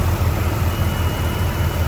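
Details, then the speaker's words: 1993 GMC Sonoma (S15) V6, idling just after a new distributor was fitted, computer unplugged to set timing: deep, steady low rumble with no misses or stumbles; a bottle on the engine barely jumps, running better than when it arrived. "It's not even jumping around. That's how good this thing was running when he came in. Well, it's running it better now."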